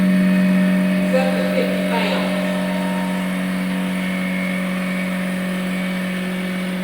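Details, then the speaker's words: Kobalt 6-gallon portable pancake air compressor, new out of the box, first run building tank pressure to about 75 psi: even, steady motor hum with constant pitch and no rattle; running smoothly. "Yep, guys. It's going really good. >> All right, we're at 75."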